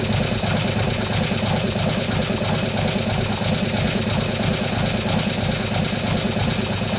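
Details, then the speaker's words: 2015 Harley-Davidson Road Glide, 103ci Twin Cam, after a camshaft and new oil pump install: a steady idle with fast, even light ticking. The hydraulic lifters are taking unusually long to pump up. "pumping off one of the other obviously something's making noise so let me just try to figure out [Music] that box if I say something like after that sometimes they take a while to pump up but this is getting ridiculous on timeframe"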